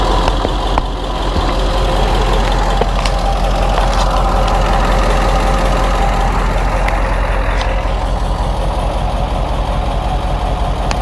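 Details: 2000 Ford F250 7.3 diesel at idle, GoPro spring-mounted: steady rough clatter with a faint quick tick on each firing pulse, from an exhaust leak.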